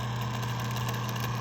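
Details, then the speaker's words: 1981-1985 Mercedes diesel cruise control actuator on bench, power applied to motor pins; steady low motor hum with rough, gritty, crunchy buzz, vibrating to the touch, no smooth spin: noisy worn actuator motor, a reject. "And if you touch it, it's vibrating. It has kind of a crunchy sound. Maybe we can name this one Crunchy."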